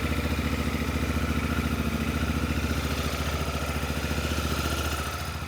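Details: Auction-bought, damaged Honda Africa Twin with DCT gearbox, idling after start-up; smooth even idle with steady low pulse, no knocks or rattles; normal idle.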